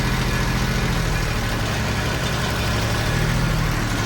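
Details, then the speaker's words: Kubota ZD28 mower, D1105 diesel, after cleaning fuel injectors, cold day: steady low idle sagging and labouring as if about to stall; engine still bogs at idle (also bogs under full load and sometimes shuts off), no fuel leaks, cause not found. "There you go, it's doing it. You hear the engine trying to boggle down. So, I still have the problem."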